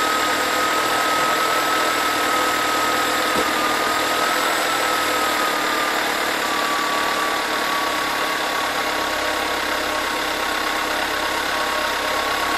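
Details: Volkswagen Scirocco TSI 122 hp, cold start: cold idle with a busy light rattle of about three beats a second and a faint high whine above; owner suspects a slack timing chain, unconfirmed.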